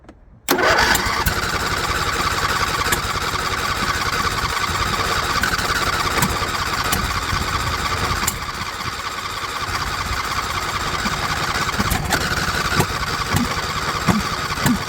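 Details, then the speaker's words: John Deere LA120 lawn tractor, non-running for months, possibly sat longer, fuel filter still nearly empty; rough cold start at full throttle with no choke, uneven running with irregular pops and cracks; owner suspects valve clearance issues, popping out the exhaust valve. "no Full Throttle no choke wow so um she's really popping out the exhaust valve so really sounds like we have valve clearance issues going on"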